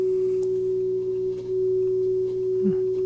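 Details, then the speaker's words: Hybrid tube/solid-state audio amplifier on bench, test signal through it: low constant hum under steady mid-pitched tone; mains/line hum in signal, possibly from unshielded input lead, not confirmed. "yeah no problems there you probably use a shielded lead or something like that see if I get rid of some of that hum"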